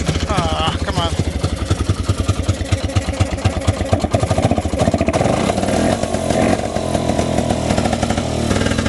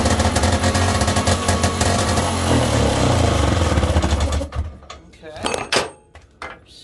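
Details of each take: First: 1971 Johnson Skee Horse 30 hp snowmobile, restored after years sitting: after priming, fast crackly two-stroke firing picks up and holds an even beat, smoke from exhaust; the old sled engine runs properly again. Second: 1971 Johnson Skee Horse 30 hp outboard, first runs after long storage and restoration: crisp two-stroke crackle, a little ragged, then cuts out; owner suspects an air leak, then notes fuel draining back to the tank, no fuel in primer line. Rough running.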